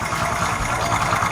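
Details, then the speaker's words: Honda Supra X 125 D PGM-FI motorcycle, 2007, kick-started: smooth even idle with a light quick tek-tek ticking, normal fuel injector noise, not loose valve clearance. "dan di sebelah sini ada suara seperti tek tek tek gitu itu suaranya injeksinya ya Bukan suara setelan klep yang kendur tapi"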